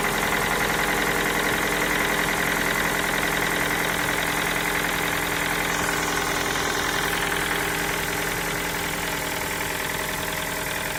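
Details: Ford Focus 3 1.6 105 hp, 185,000 km, knocking for the last 25,000 km whether cold or hot, sometimes quieter: light regular tapping about two and a half per second over idle; engine knock, cause unknown (valves, cam phasers or piston pin suggested).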